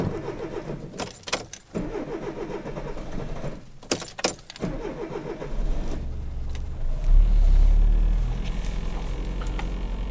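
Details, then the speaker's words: 1993 Citroën AX single-point injection running 100% E85 ethanol after membrane modification: cold start took six attempts, short cranking bursts then catches to lumpy idle; runs correctly once warm. "cette fois-ci je l'ai démarré en 6 fois. Mais vous verrez qu'une fois chaud, et ben ça fonctionne correctement."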